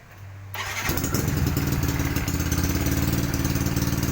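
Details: Single-cylinder bike build with a 59 chromebore, TaxCam #8, iPort head, 32mm throttle body, 120cc injector and aftermarket ECU, reportedly a hard starter: it catches in half a second and settles into a steady, firm idle. A healthy cold start.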